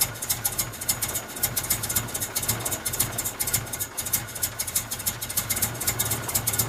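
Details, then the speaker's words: Truck converted to run on wood gas from a homemade gasifier, first start: uneven, lumpy idle with ragged low beat and hissing; running rough, owner feels it is starving for air. "Oh, there it is. It's running. There it is. Oh. It's running again. It's rough."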